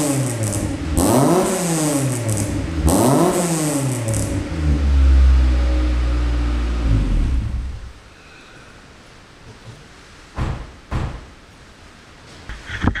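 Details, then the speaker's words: Beater at idle after a new exhaust replaced the badly blowing one: two quick throttle blips, then a settled, even idle with no puffing or blowing from the joints; it is now quiet and sealed. "so the exhaust is now on sounding good nice and quiet to idle now it used to be quite you know blowy which is why I've changed it"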